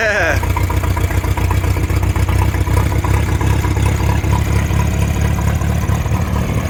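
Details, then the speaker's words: Caravelle boat engine, cold start after sitting since last summer, with reverse cable adjusted and fuel primer bulb primed. Starter whirr, then it catches and settles into a steady, even idle with no knocks or stumbles; normal idle. "it does sound pretty good that's 100 cold start from sitting for years well since last summer"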